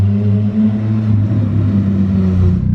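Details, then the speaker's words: EG hatch engine running with no exhaust fitted yet (exhaust build unfinished), otherwise healthy: a loud, raw, deep drone at idle that swells with light revs. The owner says everything works but it is loud. "right everything's good it's loud really need that exhaust on it's kind of annoying but everything's good works it's doing its thing"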